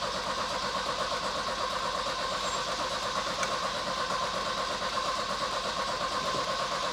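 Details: Volvo 240 cranking steadily but not firing after fuel tank refitted with new fuel lines; previously ran from a remote fuel bottle; owner suspects it is flooded.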